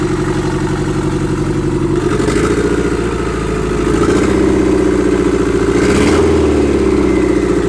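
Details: Restart of a freshly SR20DET-swapped S13 coupe after its first start: loud, uneven open-exhaust idle with lumpy rev blips, running rough and untuned. Timing still needs adjusting and the downpipe is unfinished. A boost leak is suspected, not confirmed.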